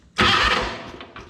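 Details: Wheel Horse 520-H lawn and garden tractor after wiring repair, fuse blades bent for better contact: starter catches and the engine fires at once into a strong, even run that settles down; clean, healthy start.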